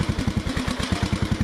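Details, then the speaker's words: Lawn mower running near full choke, owner unsure what the solenoid does: a lumpy, uneven chug of about eight beats a second that sags and stumbles as if about to stall; pushing it up a little then killed it. "Sounds like it's going to die out any time now."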